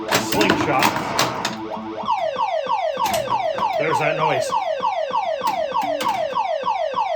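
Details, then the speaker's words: Silverball Mania pinball machine on power-up: same falling electronic chirp repeats about three times a second nonstop, as something is stuck; stuck switch suspected but not found, kick-out also giving trouble. "Oh, actually something's stuck. I have looked and looked and looked and I cannot figure out what the heck is sticking."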